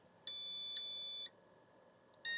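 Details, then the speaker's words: 286 motherboard with battery-leak corrosion, after reseating POST card, at power-on: shrill steady beep about a second, then another; beeping shows CPU executing ROM BIOS code, board working. "okay so we're getting beeping and anytime you have beeping I'll just unplug that so we don't have to listen to it anytime you have beeping that is coming from the CPU executing code out of the ROM bios"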